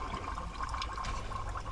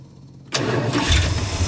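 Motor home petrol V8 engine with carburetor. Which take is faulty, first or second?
first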